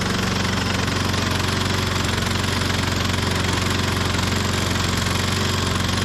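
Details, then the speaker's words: 1998 Ariens 21-inch self-propelled mower, model 911080, engine VLV60: after repairs it chugs with an uneven beat and harsh clanking, then dies on its own; rough running, cause not confirmed. "I don't think I did that I think it died on its own there what sounds so terrible my goodness"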